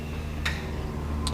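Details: 1973 Volvo 142 SCCA race car, engine off with the fuel pump switched on before a start: faint low hum with a couple of sharp ticks under a second apart, the electric fuel pump priming normally.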